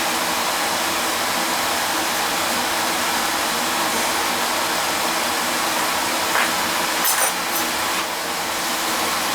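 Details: Oil burner (previously tripping out) running as a two-pipe system, heated oil mixing with cold returning oil: steady, even roar of fan and flame with no pulsing, rumbling or cutting out; normal healthy running.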